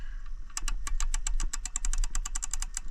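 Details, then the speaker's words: Ford Focus DPS6 transmission, clutch kit job with aftermarket parts, forward-gear fork fully engaged: sharp fast metallic ticking, about six to seven clicks a second over a low drone; the fork bearings are shot. "This fork was all the way engaged. Yeah, the bearings in that fork are shot."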